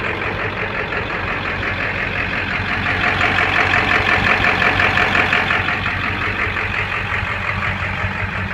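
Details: 2000 Ford F350 diesel with 200/80 hybrid injectors: rough idle with an uneven, lumpy beat around three pulses a second that wavers instead of settling; cause unclear.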